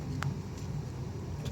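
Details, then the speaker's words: Mitsubishi Mirage steering knock: a sharp single click over road rumble when the steering wheel is flicked quickly. The noise persisted after an earlier rack and pinion repair and is attributed to a worn steering shaft coupling. "Ayan mga boss kung mapapansin niyo yung papitik na pagpihit ni customer ng manibela doon siya nakakarinig ng ingay dahil nga yan sa steering shop or steering coupling"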